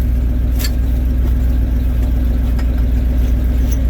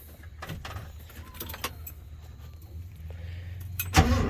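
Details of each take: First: Truck having sat two to three weeks: steady even low rumble at idle around 900 rpm, no knocks or misses; owner thinks that idle speed may not be right. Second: Truck, starter just replaced, not started in two to three weeks, low battery: steady rhythmic cranking about four seconds before it catches into idle; it floods, hard starting.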